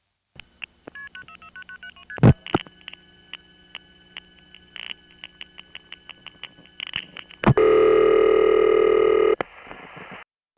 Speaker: When a crossbar tandem that can mf out wants to use another crossbar tandem to get to a panel office, that will typically sound like this.